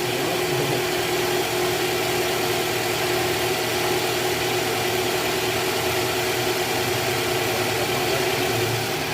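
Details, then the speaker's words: 2013 Toyota Alphard with 2AZ-FE engine, after replacing the disintegrated balancer shaft: smooth, steady idle with an even low hum, no roughness or shaking beats, far smoother than before repair; normal idle. "jauh berbeda dengan sebelum kita ganti balancer guys ini bunyinya udah halus sekarang"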